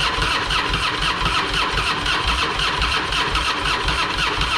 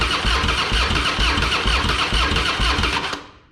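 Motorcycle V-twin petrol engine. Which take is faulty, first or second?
second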